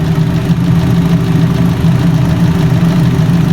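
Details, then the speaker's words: Fiat 500 engine at idle, first start after a timing belt change: smooth, even low hum with a steady beat, no ticking or slapping from the belt area, some steam from oil residue; sounds healthy, normal idle. "Actually sounds really sweet. It's a bit of steam from, and it's a bit of, you've got to remember there's a lot of oil residue on this car. Sounds good, guys. Sounds sweet as a nut."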